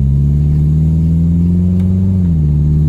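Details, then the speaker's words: 2004 Toyota Camry with replacement transmission, road test heading onto the highway: the engine pulls steadily under load, then the pitch drops cleanly in one quick step; a crisp upshift, with no slip or flare. "oh so crisp very nice shift"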